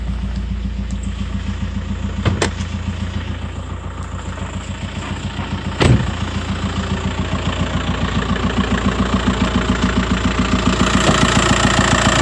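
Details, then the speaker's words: Audi Allroad quattro with swapped 2.0 TDI diesel, first runs after engine swap, glow plug light shown: startup then even, regular diesel clatter at steady idle, no misfire or knocking; one warning light on but runs well. "startup yeah there's one light on their bag and that's about it it runs well"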